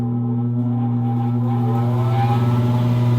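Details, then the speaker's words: Furnace blower motor that hummed without starting until nudged with a stick. It then runs with a steady low hum near 120 Hz; a failed start capacitor is the diagnosed cause. "So it's running, and normally what that would be telling you is that your problem is down here with this little guy down here."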